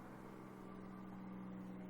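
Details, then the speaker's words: 3500 diesel after fuel filter replacement, key on engine off, cab in ignition-chime noise: steady low electric hum at one even pitch as the fuel lift pump primes normally, cycled five times before start. "so you turn it to run you listen for the pump to run and then shut off which is really annoying and hard to hear with all the stupid dinging going on in here"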